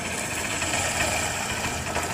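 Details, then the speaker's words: Honda Shine motorcycle after a full gearbox replacement; the old gearbox came out broken and the bike had previously been opened about three times: steady, even engine run with a light quick tick, no knocks or grinding, gear noise gone. Healthy. "बढ़िया है कोई दिक्कत नहीं है गाड़ी में चलने के लिए रेडी है"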